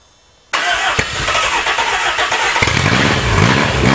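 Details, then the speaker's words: Engine sat about 8 years, cold start from the motor pile, extra prime given, electric choke wide open and left hooked up a few minutes; quiet, then catches abruptly and runs rough and uneven on primed fuel. "give her a little more Prime for a good time chok's wide open it's electric choke and I left it hooked up for a few minutes"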